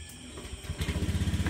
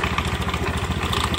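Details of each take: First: Honda Beat scooter after CVT repair with new bell fitted: engine catches and settles into an even, quiet low thump with no transmission rattle, much quieter than before. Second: Honda Beat scooter idling with a rapid, uneven knocking rattle underneath from worn roller weights in the CVT belt drive.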